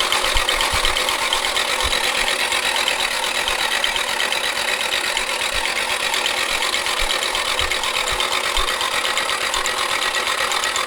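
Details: Nissan 240SX S13 with SR20DET swap, abandoned for years, fuel pump disconnected, starter powered directly: dry busy mechanical clatter over fast cranking, no firing; doesn't sound great, likely oil-starved top end, cause unconfirmed.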